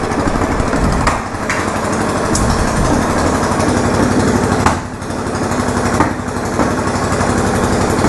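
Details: Yamaha Virago XV920 café racer project on first ride after rework: rough, uneven V-twin running with sharp pops every second or two; backfiring, owner suspects the carburetors need syncing.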